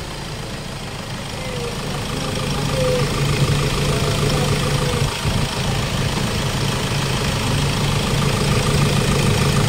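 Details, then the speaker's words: Hyundai Starex diesel, recently overhauled after overheating, idling after a fuel injector replacement: steady, even clatter; the earlier loud fuel knocking is gone. "so Ayan mga boss wala na yung fuel knocking niya"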